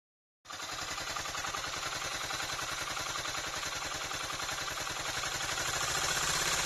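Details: Suzuki DF200E/DF200EV outboard before repair, running rough with abnormal noise: fast, fairly even clatter at about three and a half beats a second, cause unclear.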